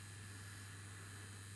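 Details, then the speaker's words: Ferranti MPT1089 mains/battery radio from around 1962–63, built-in mains power supply running with no load, about 16 V on the smoothing capacitor: steady low hum with buzzy edge as old loose transformer laminations rattle. "well the transformer works but my goodness don't the old laminations rattle i don't know if you can hear that"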